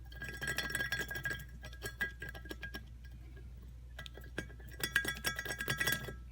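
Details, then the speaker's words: Hand-spun rear wheel bearing from a Yamaha XTZ 750 gives a gritty, crackling rattle with metallic ringing; it is completely dead, with dirt packed between the seal and bearing and some rust. "entre le joint d'étanchité là et le roulement et le roulement est totalement mort"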